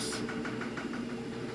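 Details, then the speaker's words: Samsung AddWash washing machine filling for spray rinse 1: soft repeating gurgles, several a second, over a low steady hum; it has gurgled like this since first use, cause unknown. "Alright, filled up spray rinse number 1. Hear all that gurgling. Oh goodness."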